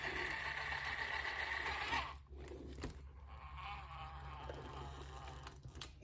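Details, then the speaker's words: Axial SCX10 Pro RC crawler after transmission teardown, dog suspected of not fully engaging or debris inside; steady even motor and gearbox whine, no clicks or grinding, winding down; fix worked, normal drivetrain running. "That fixed it."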